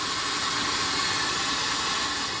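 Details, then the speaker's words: Pioneer SX-1050 receiver after re-capping, during FM tuner alignment: even, steady static hiss with no tone or programme, only the 19 kHz pilot, which is filtered out; normal static with nothing to pass through. "And of course it's mono, so you're still going to hear, you're not going to hear anything because there's only the 19 kilohertz and it's being filtered out. So all you're going to get is static."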